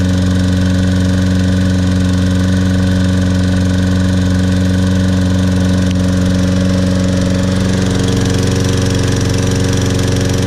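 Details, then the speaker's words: Toro Personal Pace Recycler 22-inch mower, Briggs & Stratton 190cc 7.0 gross torque engine, first start after carburetor cleaning, tank flush and old-gas removal: even single-cylinder beat at steady speed, no misses, surging or knocks; runs cleanly. "let's see if this will correct the problem with this toro personal pace that was really reeking of old gas first start here we go"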